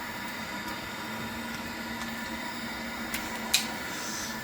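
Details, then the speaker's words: Worcester-Bosch combi boiler after replacing the leaking return manifold, pressurised to 1.1 bar: quiet, even fan hum with a couple of sharp ignition clicks, then a smooth steady burn; normal running, no leaks. "Guys, we changed it. It's working fine."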